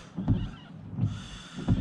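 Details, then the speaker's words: Volvo P3 S80 windscreen wipers after being adjusted lower with a 15 mm socket so they no longer hit the A-pillar: three smooth, even sweeps about 0.7 s apart with no judder or squeal, much quieter than before. "and hopefully it won't fly off now once i uh there we go beautiful you see how much quieter that is now"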